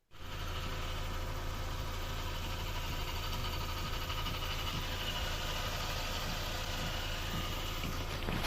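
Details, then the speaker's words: VW Passat B5 with Valeo 90A alternator: steady idle with a faint constant high whine over the engine; worn alternator bearings, alternator to be removed for bearing and brush replacement. "неприятность а именно Зашумели подшипники генератора"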